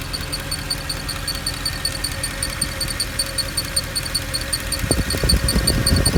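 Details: Mercedes E63 at idle: a light, fairly regular ticking, roughly two to three per second, over a steady idle, appearing to come from one of the fans; abnormal ticking noise, source unconfirmed.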